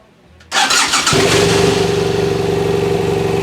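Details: BMW F800 GS brought in with a no-start condition, run on old stale fuel: brief starter whirr, catches within half a second and settles into a steady, even idle with no misses; starts and runs normally.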